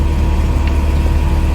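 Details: 1995 Mercedes-Benz E220 2.2i W124 Cabriolet, which previously would not start due to an immobiliser/central locking fault: low, smooth, even idle with no knocks, misses or hunting; engine sounds healthy.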